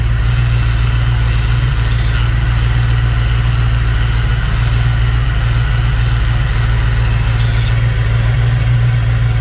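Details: Fox Body Mustang: deep, even rumble at a constant speed with no chirp, slip or tapping; a smooth, healthy warm idle, though the oversized pulleys make the alternator charge poorly.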